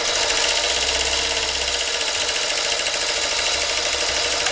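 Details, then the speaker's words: Vintage Singer Featherweight 221, long unused, unlubricated and unserviced: a fast, rattling metallic chatter rides over the running motor from dry gears grinding metal on metal; the motor itself is judged workable. "so power down at the needle is not bad at all but I'm hearing metal-to-metal again this machine probably was sitting for quite a while it hasn't been lubricated it hasn't been serviced"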